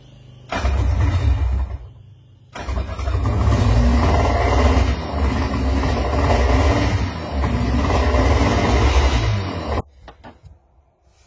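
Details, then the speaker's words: Sea-Doo two-stroke after complete rebuild, first start: idles with an uneven, stumbling beat and dropouts in the low rumble, one cylinder missing intermittently. "since i have a miss here i'm gonna do i'm gonna make sure both of these cylinders are firing by putting this in line"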